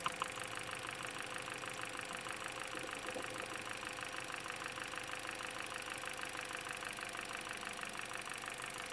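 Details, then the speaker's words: Idling petrol engine with a sharp, steady metallic knock, caused by the engine oil being completely gone; the oil warning light was on. "तो यह जो engine के अंदर से आवाज आ रही है, यह इंजन ऑयल ना होने की वजह से आ रही है।"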